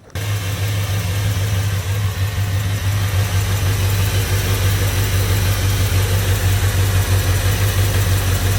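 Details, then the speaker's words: 2002 Chevrolet Silverado V8 idling with valve cover off, on gas sat eight months: lumpy idle stumbling every few beats, misfire attributed to dirty fuel injectors, about to be cleaned. "Yeah, that's not it's not great. Definitely caused a misfire."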